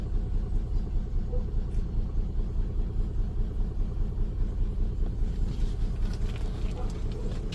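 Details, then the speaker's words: Nissan Skyline R34, a 25-year-old car, on its first start after a tune-up with new spark plugs and cleaned ignition coils: a rumbling idle with a loping pulse of about 1.5 per second. The check engine light is still on, and the owner suspects a wobbly pulley. "So check engine is still on. It's still running a little rough."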